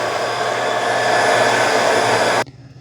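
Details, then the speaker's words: Dreame X60 Max Ultra robot vacuum auto-emptying at its dock, demonstrating how it should sound. Loud, steady, airy fan roar at even pitch for over two seconds, then a clean cutoff: normal auto-empty cycle. "So let's empty the dock the right way. I mean, I'll show you what it should sound like."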